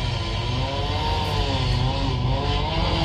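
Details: Audi A1 salvage car after O2 sensor replacement for an MOT emissions failure, just started: steady, even tick-over with a low smooth hum and no knocks, ticks or hunting; normal idle.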